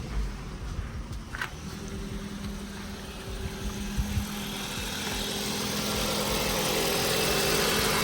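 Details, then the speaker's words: Ford Focus bought cheaply to resell, not started for a while, on a cold start: the engine settles into an even, steady idle with no misfire, knock or rattle and no smoke from the back; running normally. "there you go guys it's on cold start at the moment no smoke at the"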